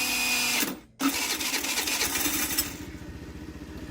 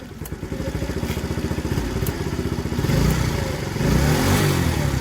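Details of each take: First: TaoTao 50cc Chinese scooter, bought not working, 3,693 miles: harsh, uneven whirring grind during electric start with a brief dropout; owner suspects the Bendix starter drive is slipping and needs replacing. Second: TaoTao 50cc Chinese scooter, bought not working, 3,693 miles, cover refitted: quick even putter at idle rising smoothly with throttle and dropping back cleanly; normal running and revving.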